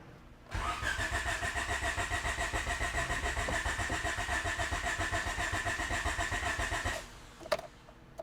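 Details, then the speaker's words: B17-swapped EF hatch on its first start attempts after the swap: starter cranks steadily, about three to four turns a second, for six seconds without firing; no fuel getting in, though the pump ran at first. "Okay, we don't have gas, so that's got to be what the problem is."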